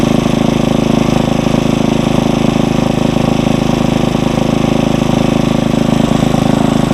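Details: Briggs & Stratton 900 series tiller engine at raised speed while warming, no load: steady, even single-cylinder putter, about three firing pulses a second audible, no misses or knocks; normal fast idle.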